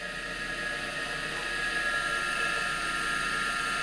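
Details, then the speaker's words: Electric motor on a 1943 LeBlond Regal lathe, likely original, run through a phase converter: steady high whine with a dry hiss; bearings need lubrication, with little vibration. "can definitely hear the bearings need some lubrication of course this motors probably the original two delays from 43"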